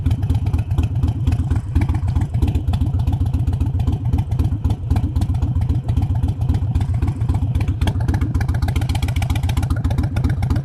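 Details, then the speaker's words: Modern EFI Harley-Davidson V-twin with idle lowered about 100 rpm using a Fuelpak FP3 tuner: a low, loping, uneven potato-rhythm idle at steady speed with no knocks or rattles. It idles smoothly, like a factory bike. "i've had no adverse effects it idles smoothly the throttle response is right there it's great it's just like a factory bike"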